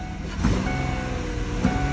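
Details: 2006 Ford F-150 4.2 V6 with a no-start and no spark, after the fuse was replaced and the coil pigtail wire was fixed away from the EGR tube, battery on a charger: a steady low rumble with no knocks or misses; it runs normally.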